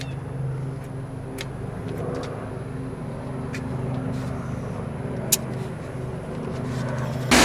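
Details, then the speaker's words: Honda Civic (1988–2000 type) idling with A/C on during R134a charging to 23 oz after new compressor and vacuum: steady low idle hum, compressor cut in drawing from the can, light clicks; normal. "the compressor has already pulled itself on because we' already evacuated all the air out so the AC compressor's on it's sucking down the can right now"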